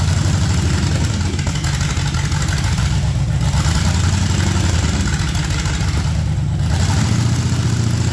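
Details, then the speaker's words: Project truck with LS swap on a lift; loud, deep V8 burble that surges and stumbles unevenly instead of settling and won't run under throttle, caused by two big vacuum leaks and no mass airflow sensor. "obviously it wouldn't run under throttle um especially not spend the tire so we've got no mass airflow sensor which means no run pretty much um and we've got a couple of vacuum leaks"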